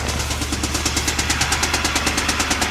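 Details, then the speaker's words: Theft-damaged Hyundai at a salvage auction, coolant bubbling with exhaust gases from the radiator, milky oil, blown head gasket: sharp even ticking about eight a second over idle, like a rod knock but judged a top-end knock. "it's not a rod knock sounds more like I mean it sounds kind of like a rod knock but it's not that's like a top end"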